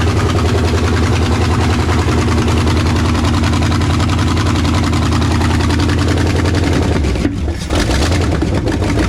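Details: First start of a freshly rebuilt 360 FE V8 in a 1968 Ford F250 "Ole Red", after a vacuum leak was fixed: a loud, lumpy idle with a fast rough clatter that sounds like valves but is exhaust from headers not yet bolted up.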